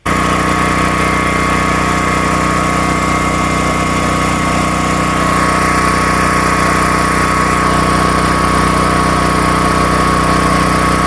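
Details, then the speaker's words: Harbor Freight Predator 13,000 W tri-fuel generator carrying about 15–16 A on a 20 A 120 V GFCI outlet: steady, even engine drone with constant hum, no hunting or knocks; handling load comfortably. "So we had about 15, 16 amps pulling out of this 20 amp max GFCI, and it did fine."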